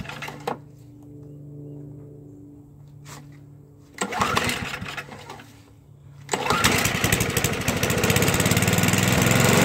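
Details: Toro 421 snowblower, unstarted for about 2 years, cold start after the fuel valve is turned on: pull-start attempts with gaps, then catches at about six seconds and settles into a steady, even run; normal running.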